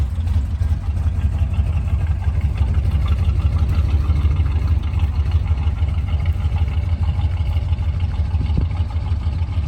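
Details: 1973 Chevy C20 at idle after new fuel filter, spark plugs and oil change, listening for the fuel pump: steady low rumbling idle, slightly uneven but smoother than before; carburetor still needs sorting out.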